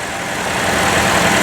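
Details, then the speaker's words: Buick Verano (2012 per title; unsure, thinks 14 or 15) that randomly stalled, surged and would not crank, ABS module lost communication; running 10 minutes, smooth even idle with no stumbles or cut-outs, normal idle. "so it's been running for 10 minutes and it hasn't skipped the beat whereas before it was cutting out stall"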